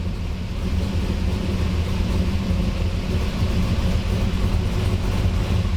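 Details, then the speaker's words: 1985 Monte Carlo SS with a cammed 6.0L LS2 swap, after freeing stuck injectors on cylinders 1 and 7: steady, even V8 rumble on all eight cylinders, quick throttle response and no stumbling; normal running. "She sounds great! Throttle response is quick. No more stumbling."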